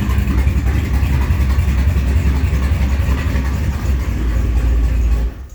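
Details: Engine with MS3 Pro ECU at idle: even low rumble, steady, no stumbles, then shut off; it sounds good at idle, but when warm it breaks up intermittently and won't exceed 2,700 rpm despite new plugs, wires and coil packs.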